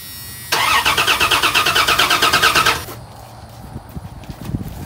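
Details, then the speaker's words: Old Dodge Dakota: a steady starter cranking of about three beats per second with no catch, even with starting fluid. It is a crank-no-start with no fuel pressure, and the fuel pump is dead. "starting fluid give us a squirt okay you can't get no fuel boys I was afraid of that"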